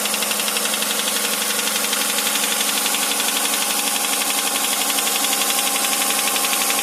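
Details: 2008 Hyundai Santa Fe 2.7 V6 engine knock: steady metallic knock, roughly three beats a second, holding evenly at idle.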